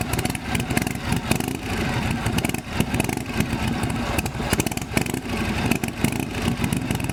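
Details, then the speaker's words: Shovelhead chopper with new S&S-style knockoff carburetor after a throttle cable fix for high idle: loose, lumpy V-twin idle with mechanical clatter, holding steady on its own; still smokes heavily. "so we got it started and now we finally got it idling as you can see"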